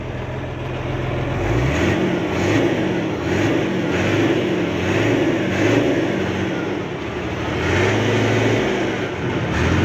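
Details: Hino Euro J08C six-cylinder truck diesel revved with accelerator presses after air-compressor fault repair; climbs and settles smoothly, no rattle or knock left, noise cleared.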